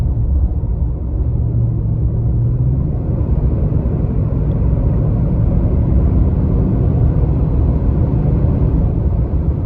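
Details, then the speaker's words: 2022 Nissan Titan driving with the viscous fan clutch stuck locked: deep, constant roar over engine and road rumble that never eases; intermittent failure that the dealer did not find under warranty. "listen the fan is locked up the entire time it's still locked up that's all fan noise got to be proof enough"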